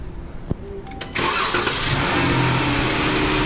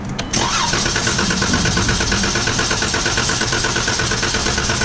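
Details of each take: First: 2015 Chrysler 300 after a fuel pump replacement for a no-start, intake duct refitted: a short crank while the pump charges, then it catches at once and settles into a steady, even idle with no stumble; normal start. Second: 2015 Chrysler 300 no-start: starter cranks at an even healthy pace about six seconds but never fires; starter fluid test later runs briefly then dies, pointing to a bad fuel pump.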